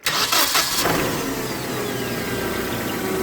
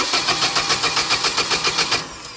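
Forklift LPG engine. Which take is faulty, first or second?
second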